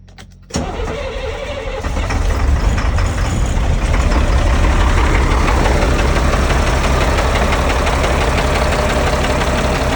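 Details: Caterpillar 3126B diesel in a Freightliner FL60, first start after a new HEUI high-pressure oil pump and resealed injectors: cranks, catches and idles rough and stumbling with a cylinder 1 misfire and major blow-by from the road draft tube.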